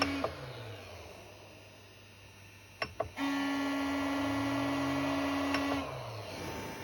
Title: Creality Ender 3 v2 loud noise from base